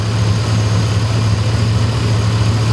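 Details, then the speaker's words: 2001 Chevy Silverado 4x4 idling after the howling AC compressor was dealt with; much quieter, a steady, even low rumble that sounds healthy, with slight squeaking from the alternator. Normal idle. "it actually sounds like it's running pretty good. I hear a little bit of squeaking out of the alternator. It actually sounds pretty good."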